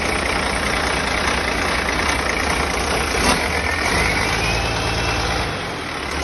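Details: Rebuilt diesel engine restarted a second time to check how quickly it starts, with a leaking injector pipe: steady even idle, low rumble, no knocks or bangs over noisy background; healthy running.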